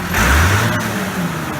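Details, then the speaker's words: Allis-Chalmers 180 tractor, 301 diesel, about 4,100 hours, after valve overhead work: starts quickly, smooth even rev rise and settle with no knocks or misses, little smoke; healthy engine. "She starts pretty good now. Starts good, runs smooth. Sounds real good. Sounds like these 301 Allis always have. Real quick, real smooth."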